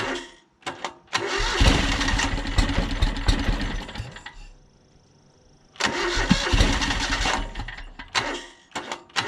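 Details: John Deere X485 mower, fresh gas, plugs checked, battery nearly dead; catches, runs unevenly, dies, then lurches and surges on restart; owner suspects fuel starvation, maybe air pressure related; rough running and stalling.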